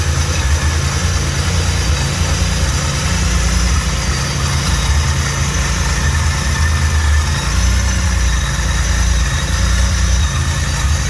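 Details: Built 3800 V6 first start after priming oil, fitting filter and filling coolant: deep, steady idle with even low rumble and no knocks or ticks; fresh engine runs smooth.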